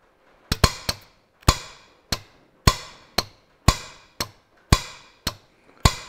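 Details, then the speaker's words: John Deere 1640 MFWD front-wheel-assist clutch pack solenoid valve, removed and bench-tested with 18 V battery across the two opposite terminals: crisp solid clonk each time power is applied as the valve shifts; solenoid working. "and we can actually hear it moving so we know that that's working"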